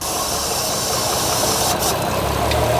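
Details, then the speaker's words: 100k-mile VW MK4 R32 VR6, first start after timing chain, water pump, clutch and full exhaust work: steady airy hiss over a smooth idle from a vacuum line left unplugged at the back of the intake manifold. "there we go sounds like we got a little bit of an air"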